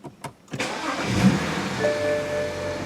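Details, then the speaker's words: BMW 335i after replacing and INPA-coding two leaking injectors that had caused rich, over-fuelled starts: short crank, immediate catch, smooth even idle with no misfire or hunting; normal start, fault fixed. "Yeah, that started right up, no problems."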